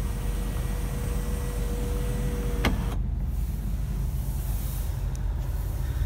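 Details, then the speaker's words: 2001 Nissan Maxima A33 3.0 automatic, two-position sunroof (tilt or full open): steady low motor hum, soft thump at full travel; normal sunroof operation. "люк люк у нас двух положениях это просто вверх или люк может открываться полностью"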